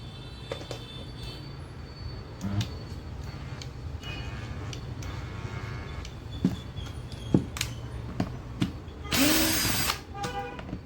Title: FINISHING SANDER HUMMING SOUND #REPAIR# SERVICE